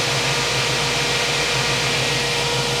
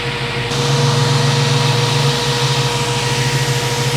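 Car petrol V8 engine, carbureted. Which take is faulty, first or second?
second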